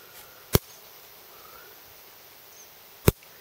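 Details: Fencer showing low voltage; high-tensile hot wire rubbing beneath a ground wire, burnt through the insulation, shorting. Two sharp cracking snaps about 2.5 s apart over quiet outdoor air as the hot wire arcs to ground while pulled back; fix planned: new side clamp rerouting wire.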